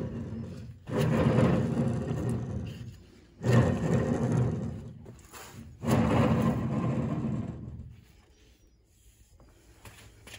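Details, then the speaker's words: PZ CM 185 drum mower shaft turned by hand in a vise: three rough gritty grinding bursts from worn drum bearings contaminated by old grease and seeped-in rainwater; replaced with 6211 2RS and 6210 2RS bearings. "after some kinetic persuasion I was able to separate both and to clean them out with the mowing shaft in the Vise we can hear the bad bearings"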